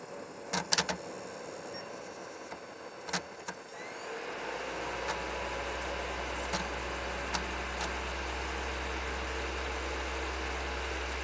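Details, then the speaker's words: Nintendo Wii disc drive reading Super Smash Bros. Brawl, recorded up close: clicks and clunks as the disc loads, then loud steady whirring spin with occasional ticks and a slight read delay; only this disc does it, cause unclear. "I'm just wondering if if this noise is normal I'm going to put it in and I'll put it up close so you can hear the noise"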